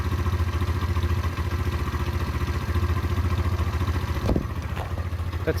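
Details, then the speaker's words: Derbi 125 motorcycle (model unknown), a former non-runner, being ridden after a carburettor clean and fuel tank clean: steady, even single-cylinder firing at about three and a half beats a second, no misses or clatter; it runs normally. "that's riding lovely guys"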